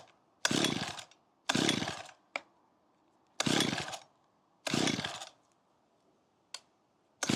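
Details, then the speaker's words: Makita petrol hedge trimmer of about 15 years that was bogging and cutting out, just fitted with new fuel lines and primed: repeated short pull-start bursts that cough but never catch; flooded from over-priming. "Oh, I flooded it."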